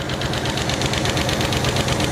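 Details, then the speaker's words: 1968 Chevy Caprice V8 that sat about 20 years, freshly started and warming up, slinging oil: a sharp, steady tapping about five a second over the idle from a loose rocker not doing its job (not number six), to be adjusted down. "Yeah, she's slinging oil all over the place, but that's a good thing. I hear one of them tapping really, really good."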